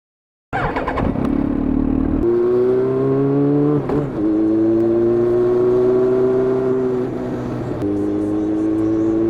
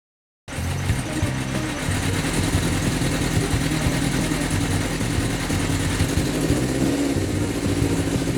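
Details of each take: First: 2004 Yamaha XJR1300 (RP03J) after repair of a poor-revving, uneven-running engine: smooth inline-four drone climbing through the gears with clean shifts and no misfire; a slight flutter remains on downshift. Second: 2004 Yamaha XJR1300 (RP03J) started after about three weeks sitting: uneven, lumpy idle that never settles, sluggish, as if running on three cylinders; owner suspects lean fuel, plans a pilot jet change.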